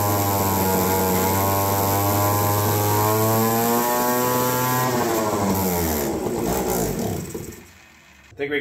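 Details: APC mini chopper's small two-stroke, a garage-sale find, started with the control module plugged back in: revs unevenly, pitch wandering, then sags and dies. Runs rough, likely fuelling trouble; owner plans a carb kit.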